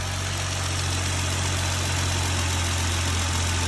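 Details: 2020 Jeep Gladiator idling after rocker arm repair for a top-end tick; steady even low hum, no ticking or knocking. Belt noise normally fades after idling; owner suspects slight water pump drip. Normal idle.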